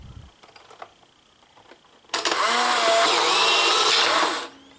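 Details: Polaroid 600 series camera with new film and the flash fully charged, taking a photo: a few faint clicks, then a two-second high whirring burst that stops cleanly; normal film ejection motor.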